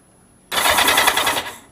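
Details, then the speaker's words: Kawasaki Z750 after starter motor rebuild, previously squealing and crunching for years: short, smooth, even whir of the starter spinning freely about a second, no squeal or crunch; later found not engaging, reassembly needed. "Oh, sounds so much better. That sounds heaps better."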